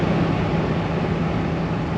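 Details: 2013 Ford F-150 with idling engine, after replacing blower motor resistor (blower previously would not turn off): steady air rush with low even hum, no rattle or squeal; blower runs and now switches off properly.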